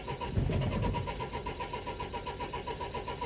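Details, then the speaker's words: 2004 Renault Trafic 1.9 dCi diesel, crank-no-start with fault DF195: even starter cranking about four turns a second that never fires; scan tool shows no crank/cam synchronization, so an engine timing signal issue is suspected. "either way it looks like we've got an issue with the timing on the engine"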